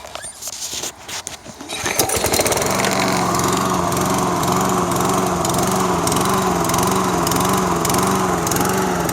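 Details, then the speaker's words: Toro SR4 Super Recycler mower, 159cc engine, starts well then surges, hunting up and down in speed at idle, not under load; owner read that a dirty carburetor pilot jet can cause it. "I think it starts great and then surges"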